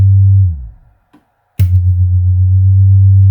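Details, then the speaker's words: Infinity SM62 bookshelf speaker woofer after rotted-surround replacement, with a Leader LAG120B signal generator: a clean, steady low tone cutting off and restarting without buzz, rub or rattle. A normal woofer sweep. "Yeah, I can feel 40. Things are starting to vibrate."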